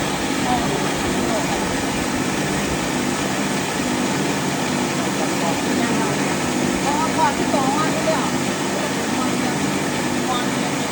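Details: Thai rice mill after motor and milling-head repair (previously the motor hummed but the belt-driven drum would not turn), test milling: even, continuous motor and husking hum with no knocking, grinding or surging; motor noise quieter, runs smoothly under load.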